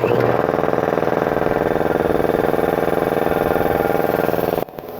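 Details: New Industrial Air IL1682066 two-cylinder belt-driven compressor, 110/220V motor, on 12-gauge extension cord, first run on auto with oil checked: fast even pumping chug about three beats a second, steady and unlabored until cutoff; normal.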